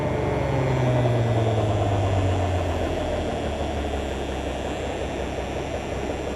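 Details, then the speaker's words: Peterbilt 352 cabover wrecker diesel idling after a cold start with about 60 psi oil pressure and no air pressure built yet. A steady, even low rumble with no knocks or misses; it sounds in good shape. "it's pretty impressive it sounds like it's in pretty good shape"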